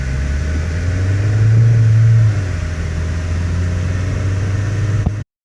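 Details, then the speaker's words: 2008 Mazda 6 four-cylinder: a deep droning cabin boom swells mainly on takeoff, from a worn hydraulic passenger-side engine mount that may have leaked its fluid; the mount is then replaced. "and here's the vibration we're getting on takeoff if you can hear this so it's mainly on takeoff in"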